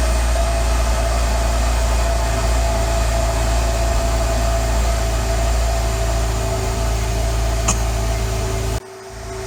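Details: 2015 Subaru WRX turbo petrol with intake, EBCS, EGR/TGV deletes and catless J-pipe idles cold with an uneven, loping pulse. This is from stratified cold-start fueling, which the tuner later disabled, giving a smooth idle.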